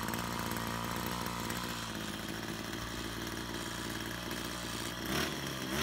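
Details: Brush cutter two-stroke after repair of a fuel leak from a split hose (it had stalled while mowing): buzzy even idle, then two crisp revs near the end dropping back cleanly; running normally.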